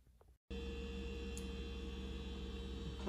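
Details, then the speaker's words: KitchenAid refrigerator KSCS25FVMS01 after reinstalling its repaired control board: starts with a steady, even low hum and no chirping, running normally. Before the repair it clicked, then chirped while the fan paused briefly. "in the power is working it's not making the chirping sound"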